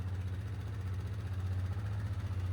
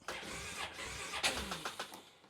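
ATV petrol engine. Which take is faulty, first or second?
second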